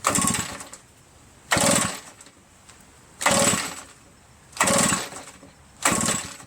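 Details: RedMax EBZ8050 backpack leaf blower reassembled from pieces, with fuel and spark checked, on choke: five recoil pulls, each spinning briefly without catching; owner suspects carbon-stuck rings causing low compression.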